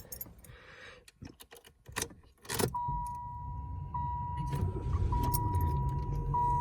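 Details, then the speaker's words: Second-generation Chevrolet Lumina with 82k miles, almost all original, brought in for running issues, cold April morning: keys jingle, the engine catches at once and settles into a quiet, steady idle with a chime and the air coming on; normal start and idle. "Fires right up. The air comes on."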